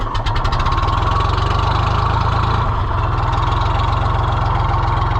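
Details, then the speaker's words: John Deere 1020 diesel tractor started after repair work: catches right away and settles into an even, deep chug with every beat the same; healthy idle. "Yeah, what a sweetheart. She's purring like a little kitty now."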